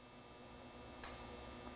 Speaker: a click hear that so now you know that bi-directional is working